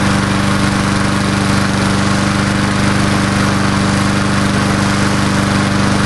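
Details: Old Murray Dynamark 22 mower, 3.75hp Briggs & Stratton, just started after about seven years stored, fresh gas: single-cylinder engine holds a steady, even chug at constant speed, no misses or knocks; normal running.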